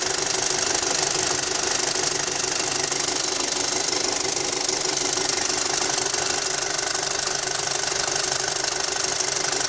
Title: Audi A4 2.0t 6spd Avant - What's that ticking noise?